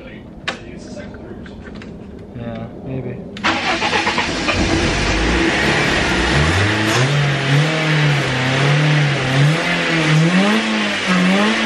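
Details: BMW E36 that sat for months, pump not heard with key on: cranks, catches after a few seconds, then revs hunt unevenly as it struggles to stay running; owner suspects the fuel pump.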